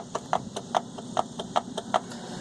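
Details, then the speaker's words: Volvo 850 driver's-side front CV axle newly fitted into the transmission; pushing the inner joint in and out gives crisp even clicks about four a second, showing it is properly seated, not coming out. "okay with the CV axle in the transmission you grab the joint and push it in and out you should hear it just clicking and not coming"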